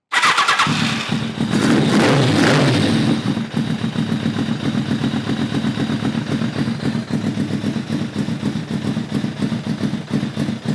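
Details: Kawasaki ZRX-1200 with rebuilt Keihin CVK carbs, enricher off: starts and revs briefly then falls into a weak, choppy idle; no intake impulse, acts like it has no slow circuit; runs poorly.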